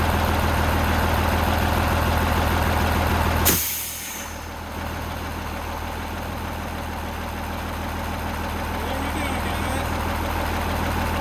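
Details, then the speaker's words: Cabover truck diesel after Bendix AD9 air dryer rebuild for a stuck purge valve, idles steadily as a sharp air hiss cuts in, then settles to an even idle while building air pressure normally. "So I'm going to lower the cab down now, and then we'll start it up and see it build air."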